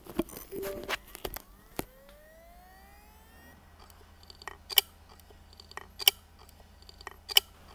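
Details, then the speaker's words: WD My Passport 4TB USB drive (WD40NDZW), about a year old, dropped: spins up with a rising whine then sharp clicks about every second, click of death from failed heads; fixed by head replacement, data recovered. "That's known as the click of death. Here, we're going to replace this hard drive with new heads."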